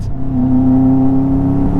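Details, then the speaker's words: Subaru WRX after earlier redline and awful noise, owner feared blown engine: pulls hard under boost but steady drone broken by uneven stumbles; feels better yet still sputtering and choppy. "It feels better. But it's still sputtering. It's still sputtering. No. Why is it still sputtering?"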